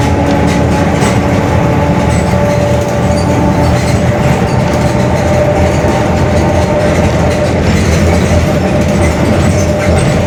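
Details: Bus Mascarello GranVia Midi 2014 body, Mercedes-Benz OF-1721 Bluetec 5 chassis, built 2021, urban service: steady low growl with faint fixed tones under drive noise: worn, growling differential.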